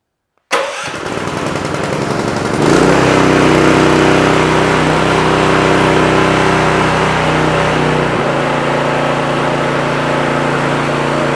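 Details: Predator small engine with a remote start/stop module that previously needed choke to start, after carburetor cleaning; catches within a second without manual choke and runs steady and even until warm, healthy.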